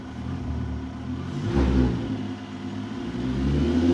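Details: 24-valve VR6 (MK4) right after installing an ECS Luft-Technik polished cold air intake with rotated MAF: engine climbs cleanly through a couple of blips with a soft intake rush and settles back; normal revving with intake induction noise, sounds healthy.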